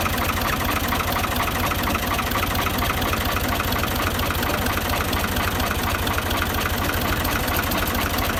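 Steady, even idle at about two beats a second with no knocks, ticks or misses; the engine sounds healthy.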